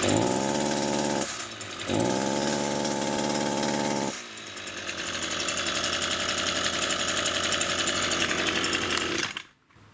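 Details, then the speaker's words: Echo two-stroke grass trimmer before repair starts fine and revs up cleanly twice, then the pitch sags into a rough, uneven lower note; engine bogging under throttle. "I will start it up so you can see how poorly it runs and then I'll show you the repair solution so it does start up pretty good"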